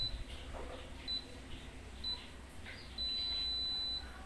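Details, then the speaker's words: Daikin inverter air conditioner that will not respond to the remote, lights blinking; fault code readout gives short chirps about once a second, then a long steady beep marking the active code C9, a sensor fault. "Ini masalahnya pada pada sensor ya C9 Ini masalahnya pada sensor"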